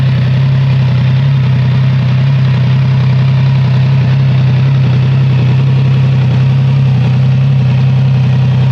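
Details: Triumph Trident 660 triple, cold start, unfiltered exhaust sound: deep steady idle growl with a light uneven rattle underneath; owner asks whether it is normal, origin unknown.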